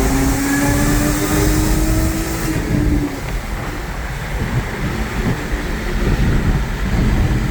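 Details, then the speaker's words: Audi A6 3.0T with test pipes and a new Gibson 55106S anti-rasp muffler, accelerating through a tunnel: deep smooth drone climbing in pitch, no rasp; big improvement over the earlier rasp. "I don't know if you guys can tell the difference on camera but that is a huge improvement from all the rafts that I was getting before so liking it so far"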